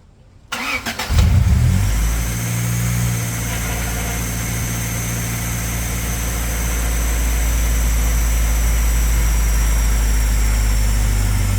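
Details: Car after swapping in a used water pump from the old engine to fix a coolant leak, timing belt covers left off: brief crank, catches at once, steady even idle, no knocks or ticks; no leak, timing good.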